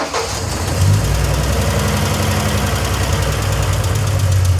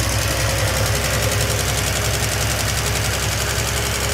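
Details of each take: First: 1971 Triumph TR6 six, running after sitting disassembled 20 years. Uneven rough idle with a busy, fast metallic clatter. The rocker tops get no oil, and the rocker shaft sits askew with a big air gap at the front, so the rockers bind. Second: 1971 Triumph TR6 left disassembled for 20 years, restarted after a valve adjustment that found some tight and some loose, no choke: steady, even idle with a soft low thrum and a quieter valve train. The owner still wants to see more oil.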